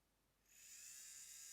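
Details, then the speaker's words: JSDA JD8500B micromotor drill on a test hookup to a power station before the DIN socket is replaced, running forward: it spins up within half a second to a clean, steady high whine with no grinding or stutter; the motor runs normally. "it's working let's see can I adjust speed yes I [Music] can can I change direction it stopped it clicked and it reverse so looks like it's working"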